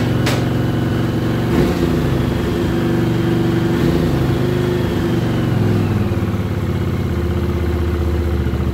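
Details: 1979 Honda CX500 Custom that hasn't run in 2 years, newly rebuilt carbs, tried with and without choke: lumpy twin idle broken by sharp pops every second or two, louder on throttle blips. Backfiring, cause unknown; owner may richen the mix screws.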